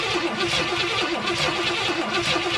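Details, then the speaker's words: 1970 Pontiac Tempest being revived, starter solenoid jumped and starting fluid sprayed down the carburetor throat; starter churns the engine at about four beats a second, acts like it wants to start but never catches; cranking, no start. "It acts like it wants to."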